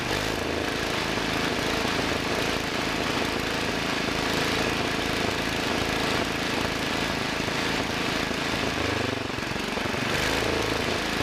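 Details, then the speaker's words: Two-engine Wheel Horse garden tractor, front belt disengaged so engines run uncoupled, throttle raised, not adjusted in about 5 years: twin-engine drone with an occasional uneven puff, one engine missing slightly; carburetor main adjustment off, rear throttle linkage being tweaked. "I hear an occasional puffing sound I'm going to mess with this rear throttle linkage and I'm listening to the sound as I apply pressure each Direction [Music] that's a little better but I don't like that puffing sound sounds like one engine is missing a little [Applause] bit"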